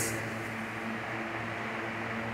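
Steady, even motor hum with a constant pitch and no rattle or scraping; the rewound fan motor runs smoothly at full speed.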